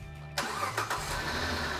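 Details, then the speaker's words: Charger engine after knocking was fixed by replacing a tensioner; short crank, catches cleanly and settles into a smooth, even idle with no tapping or knock; normal start and idle. "ah that's what it's supposed to sound like good"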